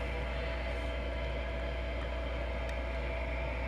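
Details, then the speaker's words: Ampeg GT-10 guitar amp after capacitor repair (radial cap fitted), powered through a current limiter with nothing plugged in: constant soft hiss over a low steady mains hum; normal amplifier noise floor. "hear that it's got a lot of hiss i'm just going to try to maybe uh"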